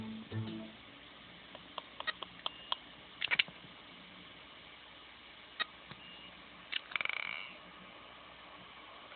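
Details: Seagate Barracuda 7200 750 GB drive, run two days straight over a USB-SATA adapter and hot to the touch: irregular sharp clicks with a brief high-pitched beep; inaccessible, owner wonders if the PCB is at fault.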